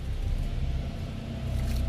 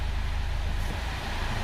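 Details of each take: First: Honda Fit CVT automatic, about 196,816 km, engaging Drive, heard from underneath: low, uneven rattle and shudder in the transmission from loose damper springs in the flywheel; planned fix is flywheel replacement, with an oil leak at the flywheel seal too. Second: 2004 Honda Fit CVT after flywheel seal replacement: shifted back into Drive, the car pulls with a low, smooth rumble and no longer gives the rattle/clatter it made on engagement; normal drive engagement.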